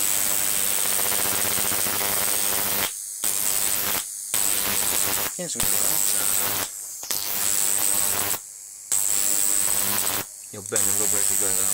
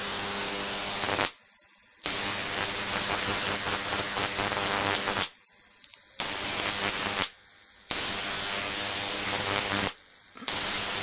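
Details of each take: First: Large flyback on a ZVS/MOSFET driver fed 30 V from a toroid transformer: high hissing arc buzz with faint low transformer hum, cutting out briefly; owner attributes the interference hum to inadequate capacitors, not confirmed. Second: Large flyback transformer on a ZVS/MOSFET driver fed 30 V from a toroid transformer: loud hissing arc buzz in few-second bursts with silent gaps, crackle over a high whine; running properly.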